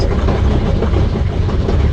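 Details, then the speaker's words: 2006 Sprinter T1N diesel that lost power on the highway and shut down; crank sensor replaced, fluid refilled: loud harsh metallic rattle over the idle, constant. Owner suspects the transmission. "doesn't sound great"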